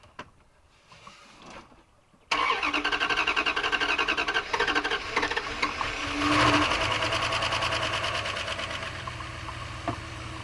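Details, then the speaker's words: 1997 Dodge high-roof van, 360 V8 automatic, sat about five years: a couple of quiet seconds, then the starter cranks in an even rhythm and the engine catches and settles into a steady run; cranks, starts and runs. "well there you go I thought I picked an easy one that ain't too bad for sitting that long now is it"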